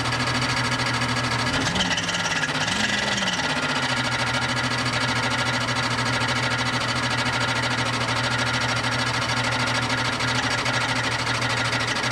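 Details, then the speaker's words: Barn-find 1998 Jeep Cherokee XJ on a different battery: as the engine catches, harsh uneven metallic clattering over the idle, as if shredding itself; loose starter parts striking a dented bell housing cover. Oil pressure present. "wow i mean that sounds like it's shredding itself from the inside"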